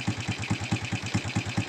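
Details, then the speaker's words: Honda Supra X125 with a loud ticking complaint, idling just after the vibrating cam chain tensioner screw was turned left: steady, even single-cylinder pulse with no top-end clatter, engine immediately smooth, though the noise came back later, suggesting internal tensioner damage. "halus ya suara mesin langsung halus"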